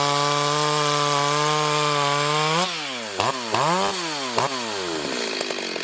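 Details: Freshly ported Stihl 026 chainsaw on shakedown cuts in hard wood, fan noise in background; crisp high-revving two-stroke scream pulling down smoothly into the cut and recovering; strong, healthy under load.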